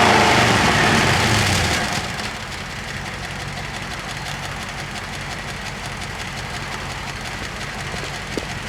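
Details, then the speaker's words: 1995 Cadillac Fleetwood after the engine misfire was fixed, previously gutless and unable to rev: strong rev falling back to a smooth, even idle without stumbling or missing; exhaust system clanky and noisy; normal revving. "now isn't that a major improvement before it was gutless it wouldn't even do that"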